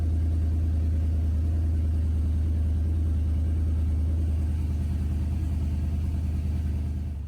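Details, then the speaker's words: BMW E36 with turbo LS swap, Holley Terminator, after adding Hellcat fuel pump: loud deep rumble, slightly uneven lumpy pulse about three per second at idle; running better but still rough, AFRs high, wideband possibly faulty, needs tuning. "so visibly and you can hear it's running better not great the AFR is are still high on the Holly Terminator"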